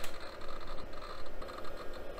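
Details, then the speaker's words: Pizza-box PC booting Windows 95 from an auto-detected hard drive: soft, irregular ticking and chattering heads over a quiet hum; normal hard drive spin-up and seek. "that hard drive sounds awesome what is that"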